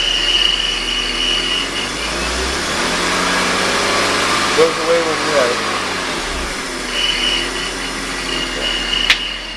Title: Odd noise in 2000 BMW 528i - idler pulley